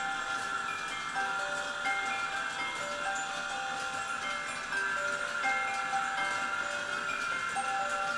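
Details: E. Schmeckenbecher Nuremberg church clock after repair with 3D-printed parts: the music box plays a clear plucked tune at an even tempo with no dragging, skipping or grinding as the figure goes around.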